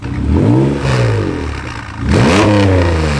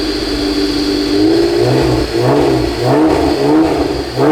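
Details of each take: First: 1991 Honda NSX from a junkyard, left sitting outside for years, on first start with the check engine light on: revs rise and fall roughly with a light rattle; exhaust leak or misfire suspected, not confirmed. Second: 1991 Honda NSX, junkyard restoration: smooth, clean rev blips around 2,000–3,000 rpm with no rasp or rattle. The exhaust tone sounds healthy and tight.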